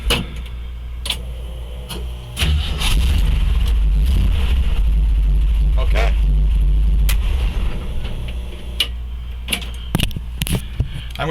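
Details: 1963 Chevy C30 V8 at idle after replacing a blown exhaust collector gasket: a steady, deep, even burble with no ticking or puffing at the manifold joint; the leak is fixed.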